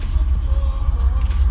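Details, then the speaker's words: Grey-market Mercedes that previously would not start, air cleaner off, after long cranking: engine finally catches and runs with an uneven, pulsing low rumble; hard starting, cause unclear. "I've just been cranking are like crazy let's see what happens this done there she goes"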